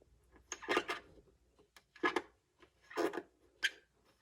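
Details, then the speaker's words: Old TEAC turntable that sat unused for years and was vibrating and squeaking, with the belt removed and the spindle turned by hand: rough, dry scraping rasps; suspected lack of lubrication or a bad bushing, not confirmed. "That's where the problem is. There's something, either it needs some lubrication or something's not right in there. A bushing or something isn't right"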